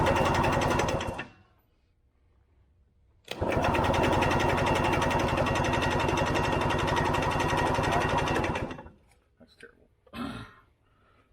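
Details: Early-1980s Yamaha G1 two-stroke, barn find with questionable fuel system: steady cranking chug near four beats a second for five seconds, no firing; turns over but won't start, cause suspected, not confirmed.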